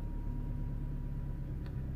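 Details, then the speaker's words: Vauxhall/Opel Astra H 1.8 petrol after fixing lean-running code P0170 with a new valve fitted, first start: steady even low idle rumble, no shake or misfire, running smooth. "is running perfect and smooth yep yes it is"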